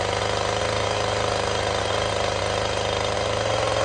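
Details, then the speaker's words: Chainsaw held at high idle/high throttle for carving: a steady, even buzz with no surging or stumbling. The consistent chain speed is quieter than changing speed; holding fast idle cleanly. "it maintains a very consistent spin I know exactly what I can count on I know how much it's going to dig I know how loud it's going to be it's actually much much quieter than when I try to change the speed as I go"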